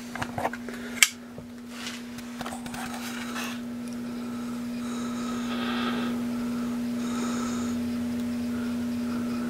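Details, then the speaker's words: National NC-190 tube radio: steady low buzzing hum, mechanical power-transformer hum that can be felt in the case; may not be electrical AC hum. "But what I'm hearing is transformer hum. And you can feel it in the case."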